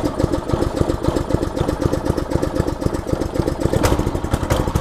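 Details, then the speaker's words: Kiba 5.5 HP lawnmower engine fitted to a homemade motorbike, standing still at idle. Loud, choppy single-cylinder popping, uneven and shaking with considerable vibration. Rough, noisy idle, so the builder plans to replace it with an electric motor. "suaranya berisik kalau pakai mesin potong rumput. Dan getarannya juga tuh, lihat tuh, ini lagi diam, getarannya lumayan."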